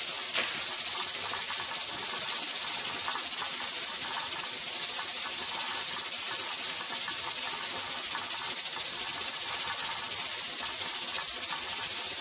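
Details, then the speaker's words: Pressure canner processing tomato sauce, before the 10-minute timer starts: continuous steam hiss with faint, even ticking from the regulator weight and no pauses; steady rock. Heat was raised slightly just before, because the rocking kept stopping. "Okay, so I feel like that this is a steady rock. I haven't seen it really change up or do anything crazy."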